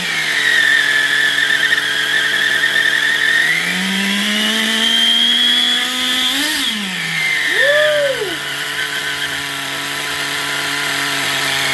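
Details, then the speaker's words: XTM Baja Outlaw RC truck small engine, restarted, with a high buzzy idle that races on its own; the carburettor idle gap was set too open. High idle. "Had it idling too high, the idle gap was too open. Woo! Yeah, whoever had it, he had an idle too damn open. That's why it's revving so much."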